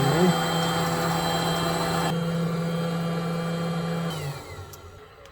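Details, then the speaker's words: Newly fitted diesel heater for a narrowboat's hot water, first start: steady fan hum for about four seconds, then it winds down and falls quiet as it fails to light and resets; owner suspects the fuel pump. Ignition failure. "just suddenly all went quiet and then it's come back on again with renewed vigor"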